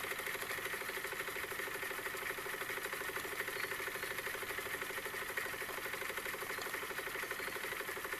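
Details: Wilesco D-18 tabletop steam engine running outdoors: steady, fairly quick chuffing with a light hiss, even and smooth; normal running.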